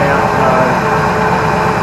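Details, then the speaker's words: Holden HQ ute, used as a donor car, started after 7–8 years sitting, fed petrol to run about a minute: steady, even idle with a smooth low rumble and no ticking or knocking; sounds healthy. "anyway there's no like knocking or anything like that so I'm going to shut it down"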